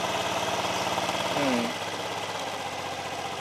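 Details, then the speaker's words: Honda Vario carbureted scooter with high fuel use and idle that rises and falls, after a spark plug change and idle lowered: brief blip, then settles to a calm, even, stable idle with no surging; normal idle. "menurunkan pjan rasakan ketenangannya beda Mas Bro dengan yang tadi"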